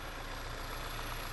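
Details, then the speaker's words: Car idling in the shop with intermittent codes including fuel pressure sensor, fuel trims currently fine: thin steady high-pitched hiss above the low rumble; vacuum or vent leak suspected, source not found. "i hear a hissing or you guys hear that high pitch i don't know if it'll be picked up by the microphone"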